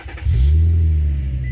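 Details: 2004 Infiniti G35 running after a no-start was traced to a bad starter relay, not the starter: deep, steady rumble with no grinding or clicking; engine running normally.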